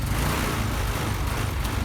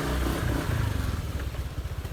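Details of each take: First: Honda Vario 125 scooter, hard to start in the morning, stumbles and won't rev even at full throttle until warm; lumpy uneven running, suspected low fuel pressure from the fuel pump. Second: Honda Vario 125 scooter, previously hard cold starting and stumbling until warm, after replacing fuel pump and filter and 2.5-turn adjustment: engine picks up cleanly and responsively, even steady beat, normal fuel pressure; normal revving.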